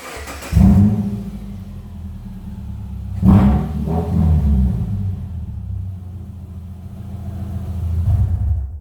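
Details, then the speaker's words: 2008 Subaru Impreza AWD automatic with exhaust leak at the ball flex joint; deep, loud, boomy exhaust rumble swelling with each throttle blip, too loud for a stock car. "In today's video, boys and girls, I'm going to be showing you how to remedy an exhaust issue. If your car sounds like"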